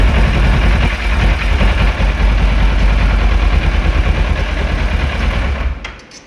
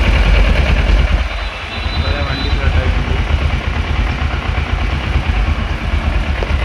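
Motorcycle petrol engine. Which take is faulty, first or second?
first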